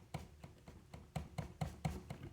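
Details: Harmonium bellows being pumped: dry hollow clicks about four per second, from a loose bellows arm whose corner hits an adjacent piece; fix by bending it inward or adjusting its screws.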